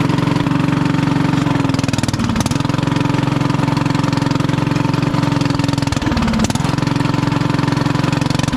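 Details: 1996 Craftsman LT1000 Turbo Cool lawn tractor, engine restarted after finding a flooded top end and fouled spark plug: loud raw uneven thump at fast idle with open-pipe bark; muffler later found split in two, leaking exhaust, not head gasket.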